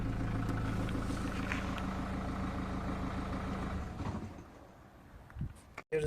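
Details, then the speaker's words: 2003 Renault Scenic II 1.5 dCi (60 kW) diesel idling with even clatter, then a dull knock and shudder at switch-off; pedals vibrate with a light knocking. Sounds like bad engine mounts, but mounts are not the cause here. "when I'm about to turn off the engine you'll hear a specific knock noise besides the pedals vibrating and producing this light knocking on your foot"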